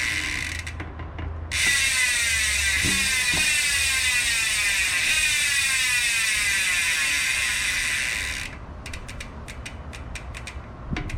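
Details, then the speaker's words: 2021 Trek Fuel EX 7 Bontrager Rapid Drive freehub after upgrade to 108 pawls and springs with fresh grease: loud, fast, even buzz of pawl clicks while coasting, louder than stock 54; healthy high-engagement freehub. "now right away do i feel a difference absolutely there's almost no pedal stroke before i go to engage before the hub engages forester is a huge sound difference and it's much louder"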